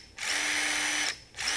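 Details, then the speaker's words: New RIDGID SubCompact drill/impact driver kit running unloaded: a thin steady squeak rides above the motor whine with each trigger pull; cause unclear, possibly a bearing. "it almost sounds like a bearing or something's wrong"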